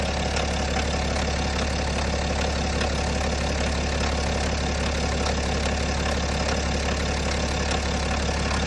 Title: BMW N57 Timing Chain Noise? #bmw #n57 #timingchain #automobile